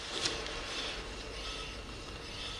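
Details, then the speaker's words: 2005 Scion tC, 169,000 miles, driver side front wheel spun by hand: light airy brake pad scrape, no hum or growl; wheel bearing healthy. "the wheel bearing it's absolutely quiet let's move on the other one driver side rear wheel"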